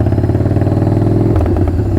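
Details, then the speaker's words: Carbureted V-twin motorcycle idling just after start, slightly warm because it was ridden there. A lumpy, loping idle with steady uneven beats and no knocks or rattles; running normally. "Yeah. All right, sounds good. Nothing to replicate the sound of a carbureted bike, man."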